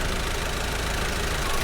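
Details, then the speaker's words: 2019 Audi TT 2.0 TFSI petrol, about 50,000 miles, engine light and hesitation: idle with an uneven, stumbling beat and knock-like skip in firing; scope testing points to a cylinder 1 ignition misfire at idle. "So it is struggling to spark or run correctly due to the misfire. So the misfire is currently happening at idle as well, which is good for us if we can test for it."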